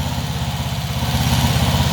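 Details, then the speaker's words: 1974 Honda CB360 twin idling just after carburettor cleaning, pod filters not yet refitted: lumpy but steady even pulses, no pops here; occasional backfires expected from carb cleaner; now running well. "running it's running pretty well i mean there is a backfire too here and there but that's to be expected with all that carburetor cleaner in there"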